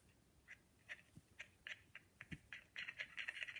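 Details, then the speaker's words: Victor No. 2 phonograph reproducer after rebuild, needle bar installed; crisp bright taps ring clearly with clean midrange resonance, no buzz or rattle; normal reproducer response. "That sounds good. That's a rebuild on a Vic number 2."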